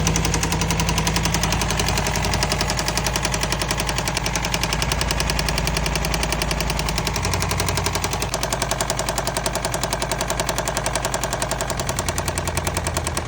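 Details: Engine at idle with a steady, fairly even deep knock, about three or four beats a second; rod knock suspected, not confirmed. One side sounds quieter.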